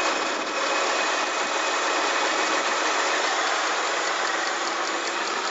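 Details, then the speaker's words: 2005 Kia Sorento V6, not cold start; steady idle with a faint light ticking about three or four a second, source unclear, owner suspects the alternator; clicking noise at idle. "if you can hear that don't I don't have a fa clue what it is if you know let me know listen I don't know where it's coming from I think it's coming from in here somewhere I think it's probably the alternator"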